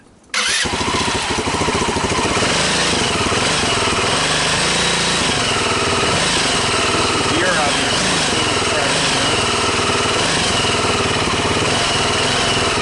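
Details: Engine from a wrecked Massimo GKM200 ATV, bench-started with a jumper, CDI grounded and a shot of starting fluid: single catches after a brief quiet lead-in, then a steady, even buzzing run. Starts and runs fine.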